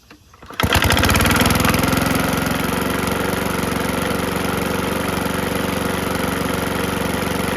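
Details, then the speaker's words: PowerSmart DB2194PR 21-inch push mower, RATO 170cc engine, curb find: starts and runs steady with a clanky, rattling knock about four per second; knocking badly, oil fills top end when sitting; cause unconfirmed. "all right what do you guys think yikes really clanky it runs though surprisingly they threw out a running machine"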